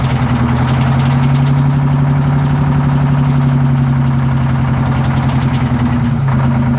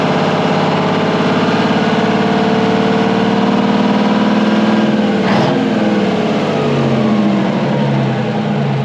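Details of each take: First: Abandoned twin-turbo Detroit Diesel 12V71 generator set, first start from field: big diesel idle with loose, uneven rattle about four ticks a second as the cooling fan hits its guard. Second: Twin-turbo Detroit Diesel 12V71 generator, abandoned and revived, after the fan was fixed: deep, even idle with a steady throb and no fan rattle or clatter; runs smooth and healthy.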